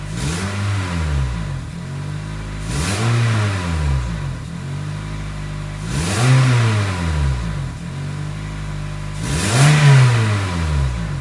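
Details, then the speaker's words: 2006 Toyota Corolla 4-cylinder, warm, after idle relearn with throttle body buildup suspected of the earlier stumble: blips rise and fall cleanly with no hesitation, settling to steady idle; normal throttle response. "I had a little camera issue a moment ago but the the blip that it's gone"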